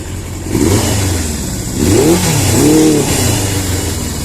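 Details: 1982 Suzuki GS650GT at its first start since delivery: revs blip up and fall back with a lumpy, stumbling note. Rough running; owner suspects fuel is not getting through properly.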